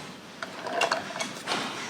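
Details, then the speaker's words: Hand-cranked yarn ball winder (ovillador) being turned by hand: quick, crisp rattling ratchet clicks, which the owner says means the inner gears are doing their job and engaging. "Vean ese ruido. Escuchen ese ruido. Eso significa que los engranajes están haciendo su trabajo, los de adentro."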